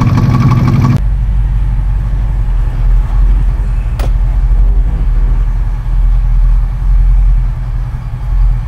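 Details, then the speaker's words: 1968 Shelby GT500 KR with 428 Cobra Jet after a muffler tune for loud exhaust, idling in the garage: a deep, steady, even burble with no blowing or ticking. The engine and mufflers sound healthy. "seems to have the same sound on idle in the garage but we're gonna find out how it is outside"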